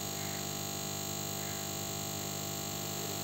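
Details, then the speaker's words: Homemade spot-welding transformer on 230 V input, 13.2 V output; steady loud mains buzz with rattly edge from loose core laminations vibrating, fix is bolting the core through its four holes. "we have uh these minor spaces between each of these plates and uh since there's uh this magnetization of this core so the two plates are just uh vibrating uh at its place"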